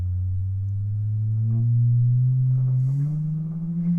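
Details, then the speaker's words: 1937 Silvertone Model 4486 console radio: the output transformer and permanent-magnet speaker are driven by an audio generator. A clean pure tone climbs from about 100 toward 200 Hz with no buzz, rattle or distortion; speaker and transformer are healthy. "Okay, I've got it hooked up with my audio generator. And I don't know if you can hear this or not. I'm turning it up."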